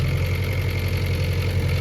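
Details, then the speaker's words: Honda Prelude engine warming at idle after valve lash adjustment with all new LMAs, springs and retainers: steady idle with fast even light clicking on top; quieter than before but still valvetrain noise, deeper and more clicky than ticky. "Definitely quieter, but still making some noise. Still kind of, I don't know, it's not as, it's deeper now. It's not as ticky. It's more clicky almost."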